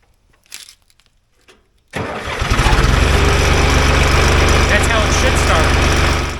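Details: John Deere backhoe diesel after starter replacement: starter turns briefly, engine catches at once and settles to an even, steady idle; clean, healthy start.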